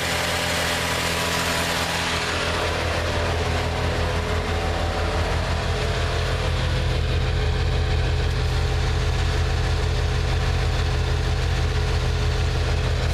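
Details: 1987 Plymouth Gran Fury, carbureted, warmed up and running from an external tote tank while chasing a fuel starvation problem: steady idle with an even low drone, no dips, stumbles or stalling.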